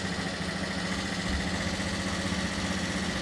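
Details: First-generation fuel-injected Honda Beat scooter, kick-started, idling: busy clattery tick about four per second over steady hum; noisy top end, valve clearance suspected, adjustment next, not confirmed.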